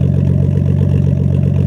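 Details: Nissan Skyline R32 RB20DET at idle: low steady idle with an occasional lumpy pulse, a possible slight misfire; it randomly stalls at idle and while driving, cause unclear.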